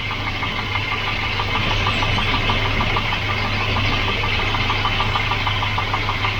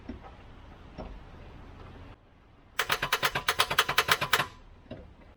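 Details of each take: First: Volvo 240 (244) redblock engine that wouldn't turn over after standing, now starting after electrical and ground checks: steady, even idle with light, regular ticking over a low hum; running normally. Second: Volvo 244 redblock engine that won't turn over after sitting parked a while. Trying a newly bought jump starter pack gives a rapid burst of sharp clicks, about eight a second for roughly 1.5 seconds, with no cranking.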